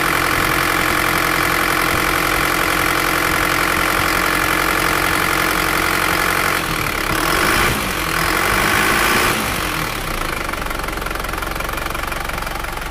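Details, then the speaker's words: Isuzu Panther automatic diesel at 290,000 km, just rebuilt (piston rings, valve seals replaced; radiator serviced), first start, cold idle: steady, even clatter about three to four knocks a second with no misses; exhaust smoke black then whitish. Healthy. "masa cuma pop kita cek ini mesin kondisi belum panas Masih dingin"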